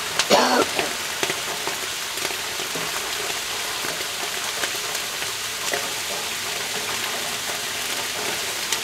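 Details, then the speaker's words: Vapor phase soldering machine heating bath with water over Galden; continuous fine crackle and irregular sharp pops over sizzling hiss; user suspects Galden boiling and bubbles collapsing against colder water, not confirmed. "I think the Gin is boiling and when the bubbles collapse because they're hitting the colder water because it has a higher specific heat capacity"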